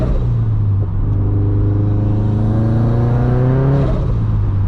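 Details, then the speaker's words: Turbo Subaru BRZ with Turbosmart blow-off valve, backroad drive: engine note climbs steadily under throttle over road rumble, revs rising more than the pull; the clutch is slipping pretty hard. "You can hear the clutch slipping pretty hard."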